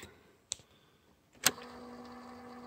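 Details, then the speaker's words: Tape deck in a free RCA boombox being tested: sharp mechanism clicks, then a soft steady whir as tape spools quickly; fast forward works normally, rewind and play also work. "Ford works rewind a little stuff works ah play all right good"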